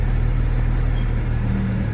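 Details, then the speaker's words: 2008 BMW 335i E90 after replacing the EKPM2 fuel pump control module with an EKPM3 for long-crank starts, after cold-start routine: deep steady idle, even low rumble, no misses or knocks; warmed up with exhaust valves open. "there exhaust Val's open so it's warmed up"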